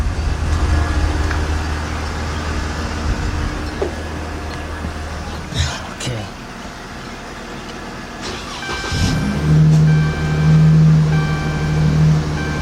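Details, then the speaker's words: 2013 Dodge Charger 3.6 V6, starts only when jumped and stalls when put in gear: after jump start it settles to a steady even low rumble with no knocks or misses, no check engine light; normal idle. "that sounds nice for 3.6"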